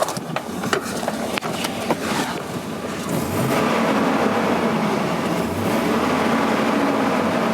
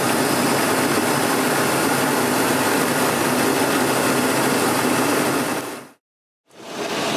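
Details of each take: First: 2001 GMC Sierra 2500HD revved after installing an AIRAID modular intake tube: slightly throatier, with a hollow sucking rush rising and falling with each rev; owner suspects a possible vacuum leak. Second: 2001 GMC Sierra 2500HD, cold day, idling just over 750 rpm, heard from outside: steady, even idle with no knocks or misses, smooth hum before it cuts out. Normal idle.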